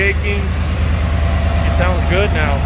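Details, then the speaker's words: Ford SVT Lightning V8 truck after replacing the faulty rear number 8 injector; it previously shook a lot: steady deep idle with an even low rumble, no shaking and no smoke. Normal idle. "no smoke sounds good sounds healthy we're gonna go test it out and i'll let you guys know what happens"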